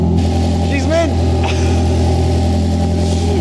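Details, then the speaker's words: Ford Fusion (79bhp stock) swapped to a 2.0L Fiesta ST engine, first start after refuelling: loud, deep, steady exhaust drone with even firing beat, no knocks or misses; engine runs healthy, normal idle. "She's absolutely mint. Ladies and gentlemen, it lives."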